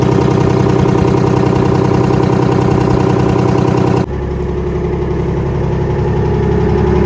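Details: Kenworth/RFW 6x6 off-road garbage truck with two-stroke 6V53 Detroit diesel and Allison automatic, sitting at least 4 years: loud, even drone settling to a lower, steady idle with no misses or knocks; started easily and runs well.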